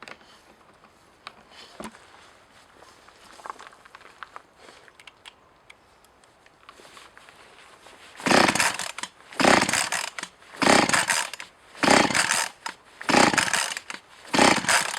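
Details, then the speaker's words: Echo CS-4500 chainsaw of unknown history, carb rebuilt, fuel filter possibly changed, started with droplets of gasoline added: quiet fiddling, then about seven short sputtering bursts that catch and die; not fuel shortage, owner suspects flooding or possibly a bad coil. "so it is it's not because of uh fuel shortage of course something else and that's most likely that it's drowned and something makes it drown"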